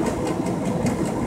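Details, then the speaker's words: Truck cab at highway speed in a crosswind from the passenger side, leaning the cab: a constant mid-pitched hum throbbing about five times a second over road drone; driver suspects air leaking through a door, not confirmed. "It leans the whole cab over in a little bit and makes that awful humming noise. It's got to be air leaking through the door up there somewhere."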